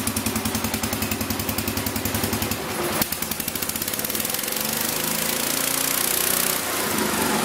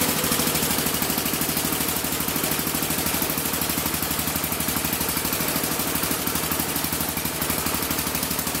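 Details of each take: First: 1975 or 1976 Massey Ferguson 14 garden tractor, Kohler K321 single-cylinder, after carburettor repair and rich/lean adjustment: even, steady putter with clean firing pulses, speeding up slightly toward the end; normal running, no more backfiring. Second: 1975 or 1976 Massey Ferguson 14 garden tractor, Kohler K321 single-cylinder, carb at stock settings: uneven thumping about three beats a second, running rough and won't take throttle; cause unconfirmed.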